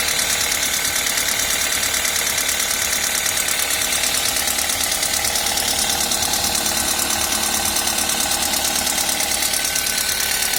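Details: Toyota 1ZZ engine at idle with fast, even ticking riding high over a steady idle, the light tap of loose valve clearance: valve tapping.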